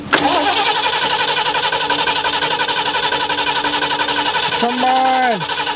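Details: 1977 Ford Quadravan after 19 years sitting, new fuel pump and rebuilt carb; steady starter whir with rhythmic cranking pulse that never catches, crank no start from fuel starvation.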